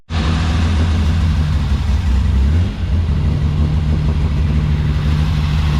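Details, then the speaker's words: Nissan 240Z with lumpy cam, just refuelled after running out and running on three cylinders; loud, deep, uneven loping rumble at steady fast idle: runs better with fuel but rough, running rich, needs tuning. "so she definitely runs better with fuel in it still needs a bit of tuning she's running pretty rich so uh I'll sort that out another day"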